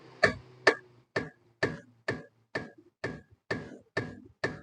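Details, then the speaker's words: Older-model Honda City, front wheel rocked by hand: sharp metallic clunks about twice a second, loose knock from a badly worn lower-arm ball joint; complaint of rattling over rough roads. "ശരിക്കും ആ ball നല്ല രീതിയിൽ പോയിട്ടുണ്ട്"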